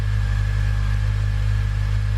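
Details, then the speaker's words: Acura TSX 6-speed during restoration, exhaust set up to be fairly quiet: steady, low even drone with a mild tone, not deep, no rasp or boom; healthy, noticeably quieter exhaust note. "hopefully it is noticeably quieter that's definitely quieter in it it's got a tone to it but it's not deep"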